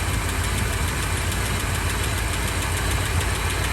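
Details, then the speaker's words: 1984 Fox body with 40k original miles, first run after sitting 20 years with oil poured in the cylinders: even, smooth idle with no missing and a slight lifter noise, good oil pressure. Normal idle. "But it's running smooth. It's not missing."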